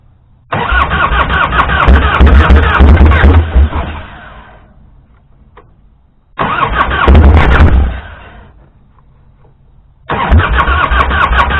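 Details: 1998 Harley-Davidson Fatboy Evo, first start after 5+ years under a tarp, new battery and switch: three long labouring cranking bursts that never catch; runs only on starting fluid, so a fuel delivery problem.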